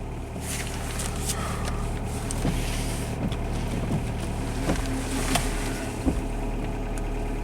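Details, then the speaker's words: Automatic Dodge Neon with a low-power, no-shift limp-home complaint, codes 344 and 1790, fired right up: deep, heavy idle rumble with a few sharp clicks on top, louder than it should be; the cause isn't clear. "thing sounds uh pretty beastly"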